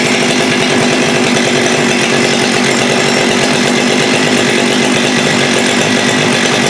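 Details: Husqvarna 394 chainsaw with HyWay 58mm big-bore pop-up cylinder (395 conversion), cold day, original OEM carb: no-load rev stalls around 10,500–10,900 rpm at one steady fuzzy pitch, running rich on top, won't rev out; suspected rev-limiting enrichment device dumping fuel.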